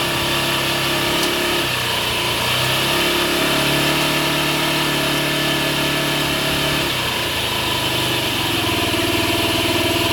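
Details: Cold Honda Ruckus with carb vacuum piston hose plugged by finger: on throttle it gains rpm, then sags and nearly stalls near redline; unplugged it stalls with any throttle. Plug, carb, battery already done; owner suspects ECU, unconfirmed.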